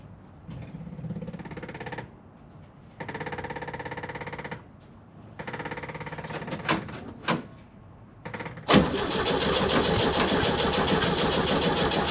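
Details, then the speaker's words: Kombi camper, first start and idle after installing a new custom exhaust replacing the rusty old one: two long cranks, fires and settles to a steady even idle, no rattling, no leaks, much quieter than before. "Sounds so much better than what I had before. It doesn't rattle, it doesn't leak, it sounds so much quieter."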